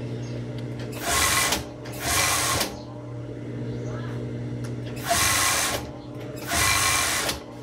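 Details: Overlock sewing machine that dies when the pedal is pressed fast, with a smell reported: short bursts of fast buzzing stitching cut out abruptly between presses; seldom used, old thickened oil makes it stick, fix is replacing the oil.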